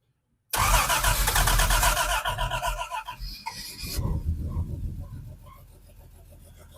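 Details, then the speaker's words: Hudson Hornet on a temporary universal micro electric fuel pump: short crank, catches quickly, flares, then settles to a steady, even idle with no misses or knocks; starts and runs fine. "And we're idling. What a cream puff."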